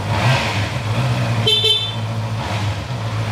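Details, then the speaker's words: Honda CB650R that would not start, test-run on borrowed fuel tank with battery powering fuel pump and injection: engine catches and holds a steady, even low note with a short horn toot midway; now running normally. "nổ máy bình thường tắt khóa này bây giờ quay phim lại một chút để cho cho cho anh em thợ và khách hàng người ta xem nhé"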